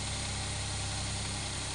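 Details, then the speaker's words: After fixing a no-supply fault (owner says it only delivered when operated manually), single-cylinder engine now runs: quiet, steady idle with an even, unbroken beat and no stumbles; normal. "Tahimik na tahimik ang makina. Yan, naandar na yan."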